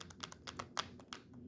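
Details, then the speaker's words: HO scale 2-10-10-2 locomotive rolling slowly: light, irregular clicking taps several times a second; one wheel on a truck lifts off the rail because a hold-down spring is missing. "like I said I got a tapping problem one of the wheels is coming up off the track tapping it doesn't bother me too much"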